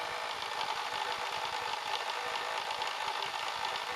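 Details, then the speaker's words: Laptop chill mat with three small fans, mainly the center one, which gets worse with a laptop on it. The fans buzz with a rough, rattly hiss from dry, worn bearings. "this is a laptop chill mat and uh what has happened is these little fans have gotten very noisy and i'll just demonstrate that right here"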